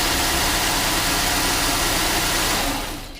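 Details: 2005 Chevy Uplander 3.5L after water pump replacement (the complaint was a rattle on start and a coolant drip), brief run during coolant fill and bleed: a smooth, even hum with no knocks, squeals or grinding. The engine runs normally.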